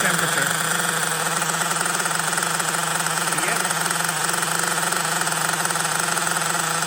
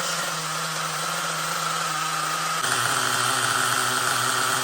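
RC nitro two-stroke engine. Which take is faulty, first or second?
first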